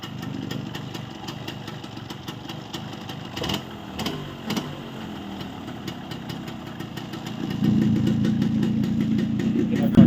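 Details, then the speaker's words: Yamaha RX135 two-stroke after block refit with ports matched using packing and tight piston checked, idling: light putter with soft ticking about four times a second, no deep knock; noise cut about 90%, remainder attributed to aftermarket silencer. "आप देख सकते हैं 90% engine की noise कम हो गई है और ये जो 10% बचा कुछ आवाज़ आ रहा है ये आफ्टर मार्केट साइलेंसर का है।"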